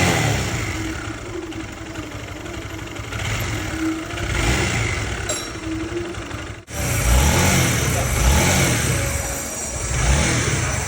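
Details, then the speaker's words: Honda CB150 after engine rebuild (complaint was tensioner clatter; worn block found) and cleaned throttle body: throttle blips in repeated rises, running smoothly with no ticking or knocking. "Oke dan sekarang suara mesinnya udah halus ya guys"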